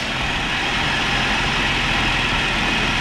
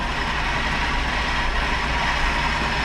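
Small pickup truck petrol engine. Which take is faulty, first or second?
second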